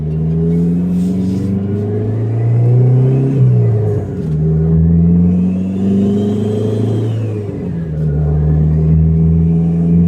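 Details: 2005 Dodge Neon SRT4 with check engine light, turbo nearly separated from downpipe coupler before repair: repeated revs with loose, breathy rasp under the exhaust note, no turbo sound; turbo-to-downpipe leak.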